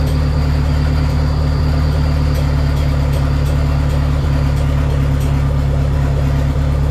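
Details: Dodge Neon SRT-4 on its first start after clutch master cylinder replacement, with new plugs gapped at .032: deep, steady idle with an even low rumble and no knocks or misfires; normal idle.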